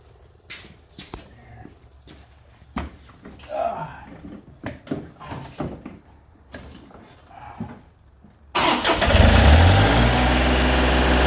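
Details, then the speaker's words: 2021 John Deere 3025E diesel tractor that kept stalling, starting after the fuel sediment bowl was cleaned and refilled by the key-on fuel pump; clicks, then the engine catches in under a second and runs steady and even, healthy start. "okay so that thing's about filled up now yep it's filled up so now your tractor should start up there"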